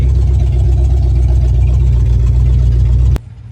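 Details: 1968 Ford Torino, carbureted, after first drive following 20 years stored in a barn; steady, slightly fast idle with even low rumble that stops abruptly at shutoff; idle set a little high, carburetor needs adjustment.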